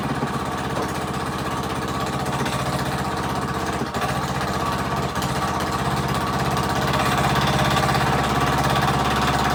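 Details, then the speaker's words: Rebuilt Predator 212 single-cylinder engine with Mikuni carburetor, first start: quick, steady exhaust pulses at a settled, even speed with no knocks or stumbles; smoke was only pre-lube oil on the piston burning off, runs good. "So that's all that oil was, just burning off that. But it runs good."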